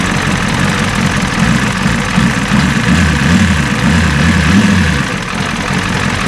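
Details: 1986 Ford F350 diesel running off the tank after fuel return rail leak repair and many failed starts: deep steady diesel clatter at idle, even low throb with no stumbling or misses; normal idle.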